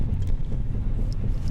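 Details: VAZ 2110 (Lada): dull, uneven low knocks under a deep rumble from a rear wheel when the brake pedal is pressed; cause not yet found, rear brake cylinders to be checked.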